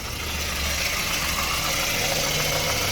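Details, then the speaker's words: Ford petrol engine after the repair of a high, hunting idle caused by the PCV valve/crankcase ventilation: an even idle with a steady low hum and no surging, running perfectly again. "soll der wagen läuft wieder perfekt wie ihr seht"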